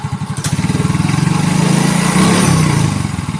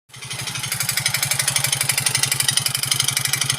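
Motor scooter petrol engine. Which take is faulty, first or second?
second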